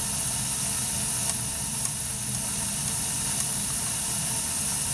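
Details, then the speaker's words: Burnham ES2 gas boiler after spark ignition and flame proving, main gas on, flame current about 13–16: steady soft burner hiss with no popping, rumble or flutter; normal burner operation. "you hear the buzzing [Music] so there was a spark igniting and when the flame is proven the main gasp now will turn on and you have the boiler running"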